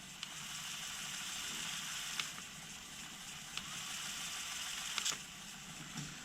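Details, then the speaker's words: 1988 Alpine 5255 car cassette deck after main drive belt replacement and motor speed adjustment: soft, steady high whir of tape winding quickly with light mechanism clicks; normal fast forward. "so it's going it's it's forwarding but it's not forwarding at maximum speed so if we cuz it's doing the music scan as well if we press fast forward you'll hear that speed"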